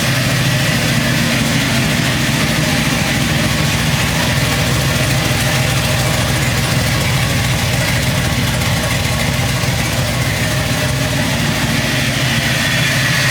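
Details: Chevrolet C10 V8 idling evenly and steadily with no stumble, hiss or surging, after a new complete wiring harness, replaced injectors, a fixed vacuum leak and a reconnected sensor; the owner hopes the fault is gone: normal idle.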